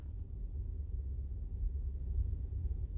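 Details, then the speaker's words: Nissan Pathfinder idling, recorded inside cabin with windows closed, after fix of loud diesel-like clocking noise heard louder on passenger side: soft steady rumble, only slight residual noise; normal idle. "And I don't see as much. I mean, I don't hear as much noise. I can still hear a little bit, but let me tell you, it's 1,000 times better now."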